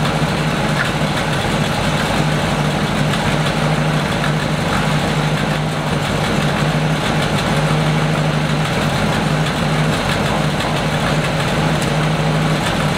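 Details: 1937 Buick limousine, frame-off restored in the 1980s and stored 35–40 years, 6-volt battery; steady low rumble at an even idle, no knocks or misses, holding a smooth idle after sitting. Normal idle.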